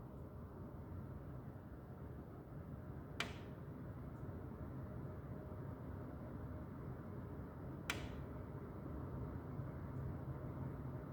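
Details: 2021 Lennox furnace running at night with steady low duct rush, broken by two sharp loud snaps from the ductwork.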